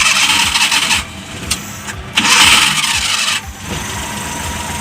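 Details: Suzuki Multicab F6A carbureted engine that had a hard-start problem suspected from fuel contamination: short cranking bursts, then it catches and settles into a fairly even idle; starts readily.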